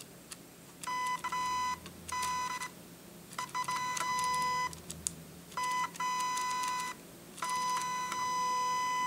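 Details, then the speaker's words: Shanny SN600N speedlite zoom head: short high-pitched whirring bursts, under a second each, repeating every couple of seconds, higher in pitch than the lower-pitched Nikon flashes; normal zoom motor noise, shrill in quiet settings. "you notice that it it it's it's a high pitch I'm I'm going to do this one one more time it's a high pitch compared to the Nikon flashes which is a a lower pitch sound when it zooms"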